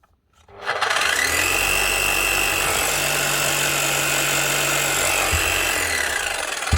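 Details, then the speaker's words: Milwaukee 545S Kango hammer after replacing the burnt-out motor with a new armature and brushes, gears somewhat worn: motor spins up cleanly to a steady, even whine with no sparking or grinding; it hammers fine with good striker compression, normal run. "motor sounds good I'm going to test the hammer not so bad let get away with that she's hammering fine"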